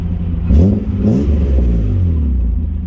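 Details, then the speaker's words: Nissan 200SX S12 just after fitting a new Walbro 255 fuel pump: two quick throttle blips rise cleanly and settle to a steady, even low rumble with no stumble; responsive, idle less missy than before the pump swap. "Pretty responsible. Idling sounds good. Not as missy as it used to be."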